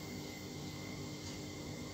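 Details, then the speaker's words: New washing machine drive motor (dinamo) bench-tested before fitting by plugging it in directly with a plug cable, spinning each direction: a steady, even hum with a faint high whine and no knocks or grinding, running normally. "Dis hoe om die nuwe wasmasjien dinamo te toets, om seker te maak sy funksie werk of nie , OK, vriende, voordat ons dit op die wasmasjien toepas."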